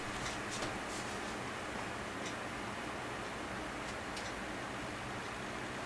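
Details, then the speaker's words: Corsair AF120 case fans on a Phobya splitter: soft, even airy hush with no clicks, rattles or pitch wander; quiet, normal fan running. "But that sounds not bad actually, it sounds quite nice. And it's not loud."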